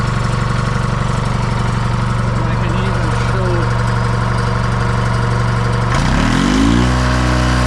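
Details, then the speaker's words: John Deere 440 crawler with GM Detroit 2-53 two-stroke diesel, 6V positive ground, after electrical repair (key switch, relocated solenoid, overhauled starter): deep steady drone with fast even buzzing beat, no misses or knocks; runs as it should. "together but I can show that it once again it runs runs like it's supposed"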